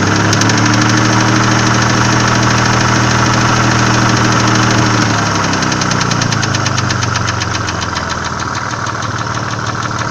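Steady light ticking, roughly two to three per second, over a smooth idle that settles lower midway; sounds like tapping hydraulic lifters.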